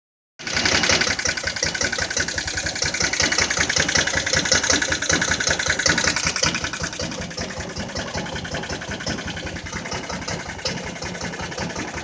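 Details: Jonway Xpressway 250cc scooter that wouldn't start at all, after first repairs: engine catches and runs with an uneven, ragged idle, busy and rattly at first then settling lower; fuel or ignition still not right.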